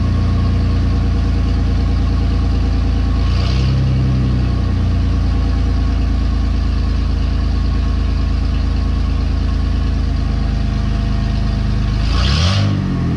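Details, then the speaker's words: 2017 Ford F150 5.0 V8, cold, with only one catalytic converter installed and no muffler: loud, deep, open drone at idle, and two quick revs bark sharply; louder than hoped, so a second cat is planned. "yeah that's that's definitely a little louder than I was hoping for so I probably will put that other cat on there"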